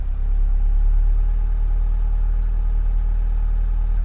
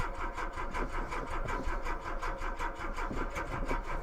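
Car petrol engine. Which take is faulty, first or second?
second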